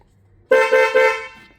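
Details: Porsche Boxster 986 with a newly fitted horn: three quick, loud, clear overlapping blasts with a strong steady tone, meaning normal horn operation.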